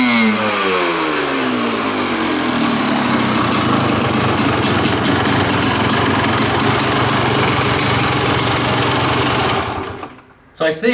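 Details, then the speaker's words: Kawasaki KDX200 two-stroke dirt bike after pilot jet change from 48 to leaner 42: crisp, even ring-ding idle, then a quick blip; no gas and oil out the tailpipe, engine finally running right. "I can say with reasonable confidence that this engine is finally running right it doesn't spray gas and oil out of the tailpipe it idles and it just sounds like it's going to rip"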